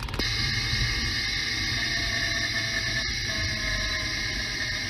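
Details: Mercedes E500 4Matic lifting off the throttle: a steady high whine over the driveline rumble, picked up by a ChassisEAR contact microphone clamped on the rear differential, identified as the bad differential.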